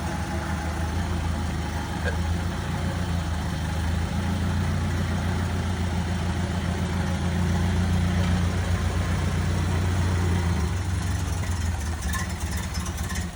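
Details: 1928 Ford Model A Roadster pickup four-cylinder, same setup as a 1930 Model A: low, even, unhurried putter at idle with no knocks or misses; normal idle.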